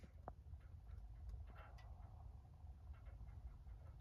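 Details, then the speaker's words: 1895 duplex heating system heard from second floor; low steady rumble with faint irregular ticks and pattering, something rattling, seemingly coming up from the basement; source not confirmed. "Boy, this heat up here is noisy. All right, that sounds like it's coming up from the basement. So, I should probably go check that. Something's rattling."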